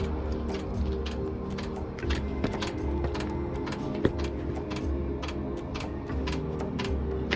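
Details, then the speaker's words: 2016 Freightliner Cascadia DD13 bunk heater unit, once warmed up smoking with sharp irregular clicks several per second over low running hum, near exhaust pipe entry; owner guesses its starter, unconfirmed. "sounds like it's definitely coming from that right there my guess is a starter"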